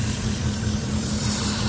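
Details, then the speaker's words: 2006 Ford F-150 5.4L 3V Triton, almost 300,000 miles, lean codes P2195/P2197. A constant sharp hiss rides over a steady idle rumble: air sucked through a collapsed, deteriorated vacuum line that holds vacuum constantly regardless of the purge valve. "one of course is out in the open it's very easy we can hear it we can see it's not normal this one constantly has vacuum in it no matter if the purge valve is on or not"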